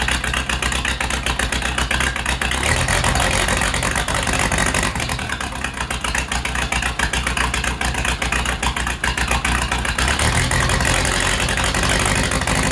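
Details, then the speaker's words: Case 207D diesel after rebuild and fuel pump timing work, run before coolant was added; loud, steady diesel clatter at idle knocking a little unevenly; owner suspects fuel slightly off, still to be fine-tuned. "So, all right, I got some stuff left to put back together, and sounds like my fuel might be just a little bit off."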